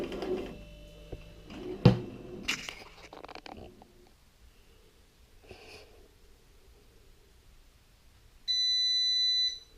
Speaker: Okay, as you can hear folks, that's the little buzzer going off to tell us it's now ready to remove it from the baking tin, which we'll do.